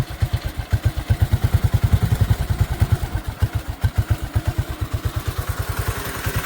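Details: Bonser auto truck on its first start with a new engine, heard at the tailpipe; exhaust chuffs about seven or eight a second swelling and fading unevenly, hunting idle, carburetor suspected to need adjusting when hot.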